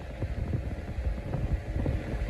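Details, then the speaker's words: Corondo 12-inch avocado green fan after cleaning and service, running in oscillation mode: soft, low motor hum with a gentle flutter, smooth and even with no rattle or scrape; the fan runs healthy. "it definitely it sounds like it is flying colors uh see the uh oscillation works I really hope it does [Music] well looks like it's working good"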